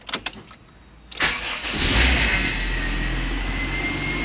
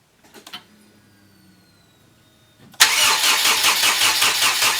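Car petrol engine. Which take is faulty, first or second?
second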